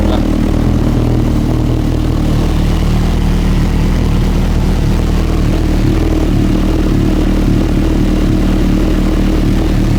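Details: Honda CB1000R with Dynojet system, started after clearing codes: steady, slightly uneven low four-cylinder drone warming up; fault shows intake air pressure (MAP) sensor.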